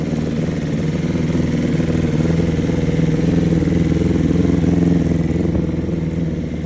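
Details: 2022 BMW S1000RR: rough, lumpy idle with an airy chuff from the front, slight backfire and underpowered; code for injector 8, cylinder 4 line disconnected; likely a disconnected injector plus an exhaust leak, misfiring on one cylinder.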